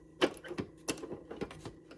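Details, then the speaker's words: TEAC turntable stored for years, platter turned by hand: spindle feels rough, giving uneven scratchy clicks and rubbing bursts; owner suspects it needs lubrication or a bushing isn't right. "you can see that this thing is definitely noisy and needs some work. So this is the spindle where the album lays on top of, the vinyl lays on top of, and it spins, and it's a little rough feeling."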